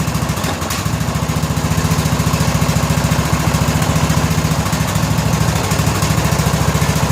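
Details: 2000 Scotts lawn tractor (John Deere-built) with 17 hp Briggs & Stratton Intek overhead valve single-cylinder engine, 5-year-old battery: fast thumping with sharp pops through intake and exhaust; suspected tight valves not fully closing.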